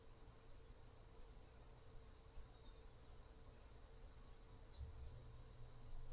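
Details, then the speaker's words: Cooler Mobius OC 120 PC fan at full speed: steady rushing airflow with a low hum and a thin constant tone, noticeably noisy at maximum, after several harmonic resonances were heard at lower speeds; it produces a fairly significant airflow cone. "this one is kind of noisy to be honest and it does cone out like like this it's a fairly significant cone so keep that in mind"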